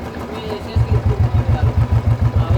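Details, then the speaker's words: Royal Enfield 350 Electra final sound after a two-day tapping-noise repair replacing suspect parts; steady even single-cylinder idle thump, no tapping or knocking, only engine sound: normal idle. "गाड़ी कितनी स्मूथ हो गई है, किसी भी चीज़ की इंजन से आवाज़ नहीं आ रही है और एकदम क्लियर है।"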